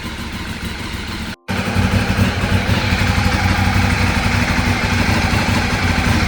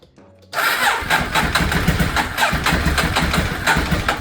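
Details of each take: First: Ducati 848 twin after Desmo service and timing belt rebuild, running until hot before coolant change; steady even idle with firm low thump, no odd noises, then switched off; normal warm-up idle. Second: Neglected Ducati 848 first start after Desmo service, timing belts and new stator cover; slow labored cranking about four strokes a second, nearly catching but not firing; owner suspects low battery; long cranking, slow to start.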